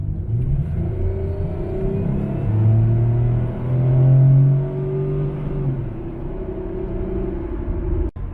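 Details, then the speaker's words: Copart Pontiac Grand Prix after valve cover and intake gasket replacement, cruising at 60 with A/C on: smooth low engine rumble swelling and easing with throttle, slight tire noise, no creaks, rattles or knocks; running normally. "the front tires that have all the have the good tread on them they make a little bit of tire noise you know to me just the tires rolling they make a little bit of noise but besides that there's no creaks or rattles or any weird noises"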